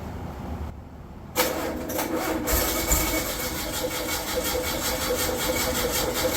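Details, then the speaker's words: Rebuilt VW air-cooled 40 HP engine, first start, new fuel pump, fuel in sight glass: catches but runs with an uneven, wandering beat that never settles; unstable idle, carburetion needs tuning, owner also suspects a popping cap or the distributor. "yeah it's definitely uh going to need some tuning that uh 20- minute break in for the cam is well it's not happening yet this is a problem with the new builds sometimes the carburation just isn't perfect"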